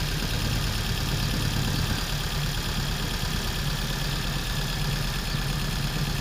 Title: P0300/P0304 Misfire problem solved.